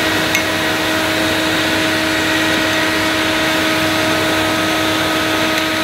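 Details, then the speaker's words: Electrolux Masterlux 3-in-1 vacuum cleaner, bought new in box with a non-working pump, is run for fault finding: the motor gives a smooth, steady high-pitched whir with airflow hiss, no rattles or speed wobble; it runs fine, though carbon dust is being spewed out. "the motor sounds okay i might i could just sell it as it is i suppose"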